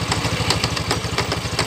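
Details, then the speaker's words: Honda Scoopy scooter idle with rough, uneven clatter and sharp rattles about six times a second from the CVT pulley; mechanic suspects clutch shoes opening, causing vibration and judder. "nah ini suaranya kasar dan dia dredeg. Nah, itu seperti itu ya, tertahan ya. Nah, sepertinya di kampas gandanya itu membuka ya."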